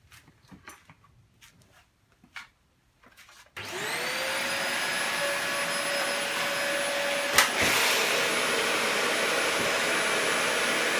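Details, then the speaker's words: Dyson DC40 upright vacuum found in a skip, possibly holding moisture, first switch-on: the motor winds up quickly to a steady, even whine with no rattles or surging; brushes and switch work, and the owner suspects nothing is wrong. "so firing it up there we could see that those brushes rotated when it tilted back which is what they're meant to do and also that whenever I used the button here for the brushes I could turn them on and off the on/off switch works so I suspect that there's absolutely nothing wrong with this"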